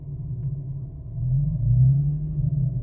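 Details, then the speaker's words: 2009 Infiniti G37, 107,000 miles, muffler delete, idling in drive or park: dull, low growl hums under the engine, swelling and falling, heard only inside the car, gone above about 2,500 rpm; no check engine light, cause unknown. "i don't even know if you'll be able to hear it because i do have a muffler delete but i'm going to try you can't hear right now but wants to do this almost like a little like growling"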